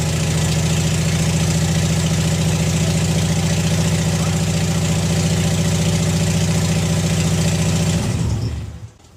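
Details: Junkyard engine in a Subaru WRX, first startup right after installation. Smooth, even low idle with a steady beat and no knocks or misses, running cleanly until it is switched off. Normal idle.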